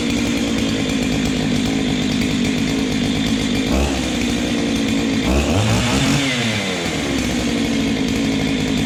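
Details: Ported Husqvarna 385XP chainsaw with aftermarket 390 piston and cylinder, first cold start, run lightly without load: steady high buzz with small rev blips, smooth and even; healthy.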